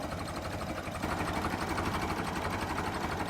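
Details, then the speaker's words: Late-1955 original Farmall Super MTA diesel tractor, idling at about 350–400 rpm, just barely turning over: slow, even soft beats around four per second, smooth and regular; normal idle. "What a tractor. You gotta love the sound of that. Look at that, just barely turning over."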